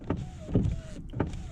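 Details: BMW E36 320i on a drive: electric window motor whines in short strained pulses, pitch sagging as it labours, glass barely climbing; slow power window, electrical issue suspected.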